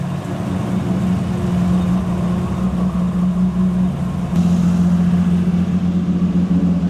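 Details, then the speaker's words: 1000+ HP MK4 Supra on a ProEFI standalone base tune: steady fast idle at about 1800 rpm holding a firm hum with no dip; idle too high, with the throttle stop or spring suspected, not confirmed. "Idle's a little high, so there's some stuff we can fix."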